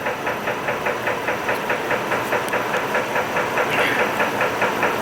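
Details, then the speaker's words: 2006 Chevy Trailblazer 4.2 L at warm idle after an anti-noise oil additive: steady, even knock about two per second, deep in the block; owner thinks rod or piston lower-end knock that fades when revved; additive didn't fix it; unconfirmed. "I think it's a rod knock something to do with the Pistons it's a lower end it's a lower end knocking noise it's not it's not an upper end at least not to my knowledge"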